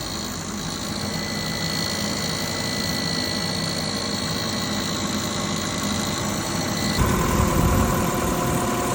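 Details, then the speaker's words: 2001 Subaru Outback engine idling with a steady buzz and fine rapid ticking, not a deep knock; owner first feared rod knock, then suspects a bad alternator as the source of the buzzing noise. "hello guys the super out back 2001 year freaking noise buzzle and I don't know what happened"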